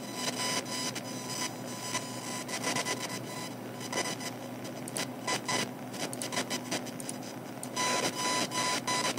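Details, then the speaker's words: Computer speakers emit buzzy, chattering electrical interference with crackly bursts and whine tones that change as the mouse moves, here with a YouTube video loading in the background at low volume; audible even at quiet speaker volume, recorded by a phone in front of a speaker. "this is with a YouTube video loading in the background but the volume down makes the sound moving the mouse"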